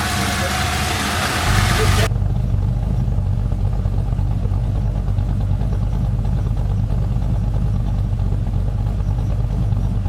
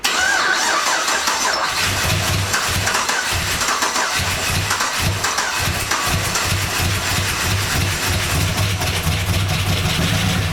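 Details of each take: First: 1999 Holden R8 Clubsport Gen III LS1 V8, 250,000 km, first start after cam swap, idle still propped up, warming up with no warning lights: deep, choppy, uneven thumping lope of the bigger aftermarket cam, steady once warm; sounds okay. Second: 1999 Holden R8 Clubsport, Gen III LS1 V8, first start after a cam swap, no throttle: catches and settles into a lumpy idle with a dry top-end rattle; oil light stays out, pretty rattly up top, cause unclear.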